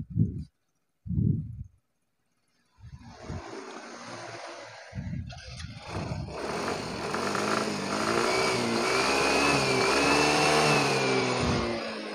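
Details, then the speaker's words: Yamaha Mio Soul GT 125 scooter after the TPS reset and fault-code clearing: smooth rev pickup with no stumble or hesitation, acceleration responsive again; it had hesitated due to O2 sensor and TPS setting faults. "ngomong-ngomong tarikan motor sekarang sudah responsif sudah normal kembali"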